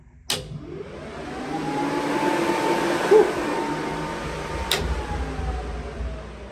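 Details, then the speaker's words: Drag truck build, first power-up after two years and fresh wiring. The engine cooling fan spins up with a rising whoosh and a smooth hum that settles and holds evenly; it runs normally. "Okay, engine fan."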